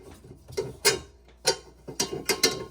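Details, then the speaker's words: LG front-load washer with direct-drive motor, drum turning slowly: irregular metallic clicks and grinding scrapes at the back of the drum. Carbon dust, believed to come from worn, breaking brushes, has clogged the rotor. "that's the rotor on the back of the drum here and I believe that all the brushes are wearing down and breaking apart that's why there's all the carbon dust"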